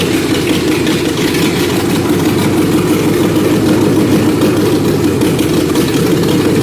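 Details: BMW E30 with an LS1 swap, unmuffled with no exhaust yet, running slightly rich, tested on a different ignition curve module: loud, raw V8 idle with an uneven, lumpy beat; idling rough.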